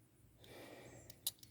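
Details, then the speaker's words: 1992 Chrysler LeBaron convertible 3.0 V6 with electrical issues, relay bench-tested with a smoke-detector battery: light, crisp single clicks a few tenths of a second apart as the relay switches cleanly. "yeah yeah so that's how you can test your relays"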